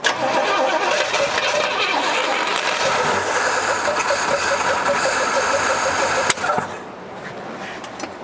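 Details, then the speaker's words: Uneven cranking with rough firing, then one sharp backfire bang during a start attempt of a 1972 Pontiac LeMans that sat 20 years in a barn; single exhaust, pedal being worked. "Backfire, huh? Yep. Crazy."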